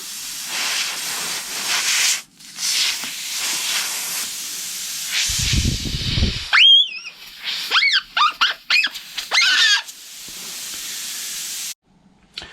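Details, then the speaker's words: Tubeless ZR-rated motorcycle tyre with debris in the puncture, possibly metal, being probed out in bits: a sharp steady hiss of escaping air stops and starts; the tyre is leaking through the puncture. "You can hear that going down now. Can you hear that?"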